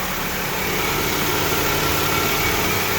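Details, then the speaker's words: 1997 Toyota Camry with a replacement used engine, low mileage or recently rebuilt, already driven quite a bit: steady, even idle hum, no knocks, misses or squeals over a light hiss; sweet running, like a brand new car; normal idle. "But yeah. Sweet running little engine. We've already driven it quite a bit, and it's like a brand new car now."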